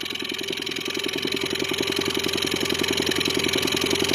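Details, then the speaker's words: New Haidi 15 engine, 362 cc, during break-in, knock appeared after running at medium revs: sharp, regular metallic knocking at about 160 per minute at light idle, disappearing when revs rise; knock at low throttle, cause unknown. "На обкатке после средних оборотов появился такой звук. При добавлении оборотов пропадает, как сбрасывает."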